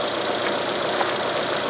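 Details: 2013 Chevrolet Cruze 1.8L non-turbo after repairing a P0300 misfire from a dead cylinder 1 with no spark: a smooth, even idle with no stumble, and the misfire counters read zero; normal idle after repair.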